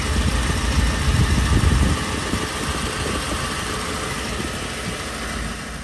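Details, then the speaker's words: 2010 Ford F-150 after replacing rusted-apart heat shield clamps: petrol engine starts and settles into a smooth idle, the startup metallic rattle now gone. "so the metallic sound is now gone so perfect"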